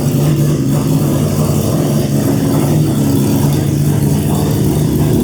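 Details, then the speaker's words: Volvo with a Mazda 3-rotor engine, after the new 4-inch exhaust replaced restrictive oval tubing. Deep, steady rotary burble holding an even note, less raspy than before, with no misses. Normal exhaust note. "Having changed that little oval section where there was a bit of a pinch point in the system, it's definitely lost a bit of the raspiness, a bit deeper now, so somewhere it sounds a bit somewhere in between what it used to sound like and the Corvette sounds like."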